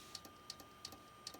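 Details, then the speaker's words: Compaq desktop computer showing blue or black screens: sharp, even clicks about three times a second over a faint steady tone. The cause is unconfirmed; clicking noise. "a good tale got a clicking noise so I gotta trust your screwdriver right here I'm gonna start poking around and and sort of see what happens"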